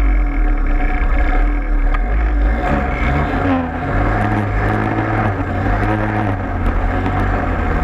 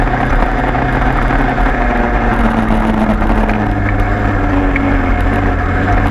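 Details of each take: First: Peugeot 103 moped two-stroke running, no kill switch: loud steady low drone with a coarse shaking buzz under it that never clears, like a big vibration; source unknown. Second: 103 moped two-stroke after leak fix, plug found very rich: steady buzzing idle holding even pitch, no stumbling or surging; runs cleanly.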